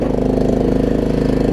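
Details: Troy-Bilt Pony riding mower, Briggs engine, after fixing loose starter solenoid connection and fitting a good battery: small single-cylinder putter at a steady, even beat with no hunting or surging; normal idle.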